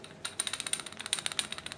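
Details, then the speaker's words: Mannesmann benchtop drill press running with a light, uneven rattle of about eight dry clicks a second, judged unacceptable; the drive belt was then found with its cords already showing through the rubber. "can hear the rattle but just not acceptable in my book"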